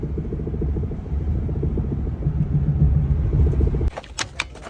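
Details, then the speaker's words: Maruti Alto rolling with engine off on test drive: low rapid rattle of three or four knocks a second, worse over 40 on paved road; cause found as two missing suspension nuts after an alignment job, fixed by fitting nuts. "तो दोस्तों आवाज आ रही है rod rod rod rod rod rod rod तो दोस्तों दोस्तों ये आवाजें खतरनाक हो सकती है।"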